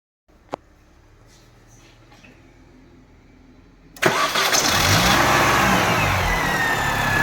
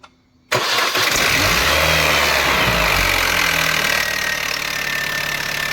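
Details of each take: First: R53 Mini Cooper S, a few moments after a terrible-sounding first start: engine fires at about four seconds and settles into a steady even run with no rattle or knock, much quieter and healthy. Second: R53 Mini Cooper S bought cheaply, first cold start: harsh metallic clatter over the engine that settles only slightly at idle, much quieter moments later; slack timing chain from a worn tensioner suspected.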